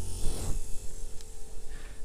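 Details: DIY kayak trolling motor running forward at a low speed setting: steady low electric hum with a faint constant whine, even and unchanging. Normal running.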